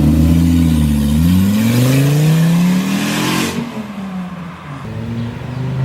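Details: Volvo S40 T5 2.5 L inline-five, after sitting a month, hard revving pulls: a loud raw unmuffled roar on each pull from an exhaust leak at the flex pipe bolted to the turbo, sounding like a catless exhaust exiting from the turbo.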